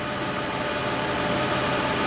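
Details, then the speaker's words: 2004 Toyota Tacoma V6, 5-speed 4WD, 260k miles, likely original timing belt, P2111 limp-home history: fully warmed up, steady even low idle hum around 730 rpm, no misses, hunting or knocking; normal warm idle before throttle body cleaning. "it's fully warmed up smooth smooth Toyota I think it's still running in the original timing belt believe it or not"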